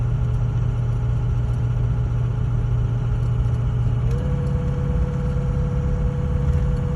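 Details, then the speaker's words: Ford 6.0 diesel truck pulling a light trailer: deep steady drone, throttle applied but pitch barely lifts, almost no boost and the truck barely moves; caused by a clogged exhaust back pressure tube and sensor, before cleaning. "Look at the boost. See that? See that? The truck's barely moving. I am pulling a trailer, but it's not a heavy trailer."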